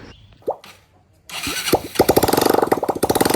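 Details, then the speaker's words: Motorcycle after engine seizure and full engine refit, fresh Motul oil: a couple of cranks, then the single fires and settles into quick, even popping with no knocks or rattles. Owner says the bike is now fully clear; normal start and idle. "Start হৈ গ'ল start হৈ গ'ল sound শুনা একদম নাই কাৰণে চাউণ্ডটো এনেকুৱা আহিছে শুনিছা পূৰা এতিয়া বাইক পূৰা ক্লিয়াৰ"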